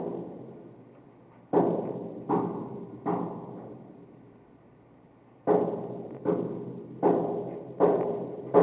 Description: This is the banging noise that woke me up one morning. It went on for several days. No notices were given out about the construction taking place in the basement.